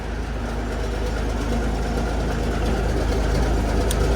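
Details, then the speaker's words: Peterbilt 359 diesel, first start in over a year after installing a Spicer 6-speed transmission and new Eaton EverTough clutch, cold in the shop: steady, even low rumble at idle, some smoke, no knocks or misses; normal diesel idle. "oh nice and smooth no noise I might have done it right"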